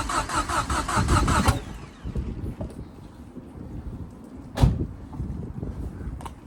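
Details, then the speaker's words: Ford Fiesta RS Turbo restoration, start attempt: brief steady cranking with no catch or firing; filter off, easy start sprayed, fuel pump primed but fuel apparently not pulling through. Cranks but no start. "so what it seems just pulling a fuel through now let's get some more easy start on your"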